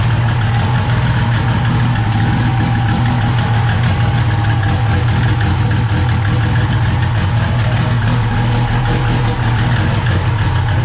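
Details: SRT-4 turbo four after a 420A head conversion, first start (hard to start without throttle) and running good: steady, even idle with a smooth deep rumble, no knocks, misses or odd noises.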